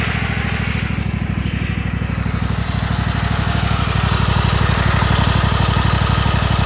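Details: Kohler Command 25 V-twin running steadily with rhythmic puffing from right cylinder; blown head gasket, burnt spark plug on that cylinder and power loss.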